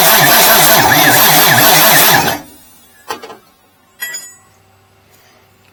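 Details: 1989 Marmon truck diesel, retried after the hot starter cooled: steady pulsing cranking for about two seconds, then it stops without catching. The pump later showed some fuel. Cranking no-start, cause unconfirmed.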